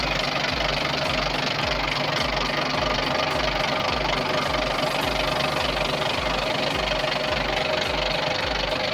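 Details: Volvo TWD121 stationary 6-cylinder turbo diesel after replacing an intake valve and gasket set to cure a knock: steady, even beat at about two pulses a second with no knock; the engine runs smoothly and healthy.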